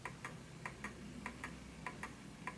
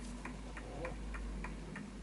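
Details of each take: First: Smiths Enfield oak pendulum mantel clock, single key wind: ticks fall in uneven pairs, short gap then long, a limping beat; clock out of beat and stopping, nudged the other way to find the centre. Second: Smiths Enfield oak pendulum mantel clock, back panel latched on: crisp, evenly spaced ticks about three per second, steady beat; healthy clock in beat.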